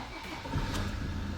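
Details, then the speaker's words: Vehicle with a StarLine S9 alarm and immobiliser, started after the immobiliser is disabled: a short sluggish crank, then it catches into a rough run. Lazy starting; an injector is said to need doing. "bit of a lazy stter he needs to do an injector but yeah there you go that's what we've got"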